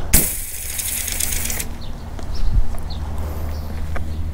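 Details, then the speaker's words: Honda 5 hp pressure washer engine (believed GC160) that surged with weak pressure, now running after carburetor cleaning (surge had cleared with a little choke; filter and plug already replaced): brief start-up rattle, then an even, steady drone with no hunting. "okay there you have it so if you have a pressure washer that is surging and it clears up when you put a little bit of choke on there this should be your fix"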